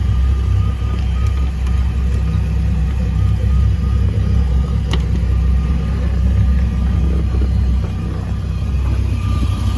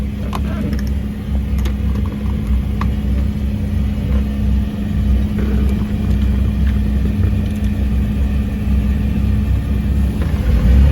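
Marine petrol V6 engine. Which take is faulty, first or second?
second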